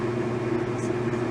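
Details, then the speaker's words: 1989 Whirlpool LA5400XTWO top-load washer, after cleaning out rust caught between the inner and outer baskets that caused grinding at the end of spin: a steady, smooth hum with no grinding. A normal spin. "it didn't make that horrible noise so that proves the horrible noise was all that rust caught between the two baskets"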